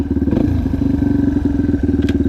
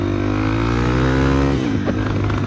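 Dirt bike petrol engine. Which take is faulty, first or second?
second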